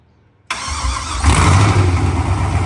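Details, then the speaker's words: OBS truck on its first fire-up with open headers: the engine catches first try and settles into a loud, deep, raw idle; it sounds healthy, though the air-fuel reading is erratic because the O2 sensor sits near the header end. "that sounds healthy"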